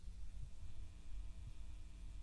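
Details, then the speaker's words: Steady low hum with a faint throb from a modded ModKits 120 kit valve amp with an added choke, guitar plugged in but untouched; heater hum balance pot at the rear set off-centre, hum falls to minimum near the middle. "here just by going back and forth how the hum changes so i just adjust it until it's about minimum roughly in the middle"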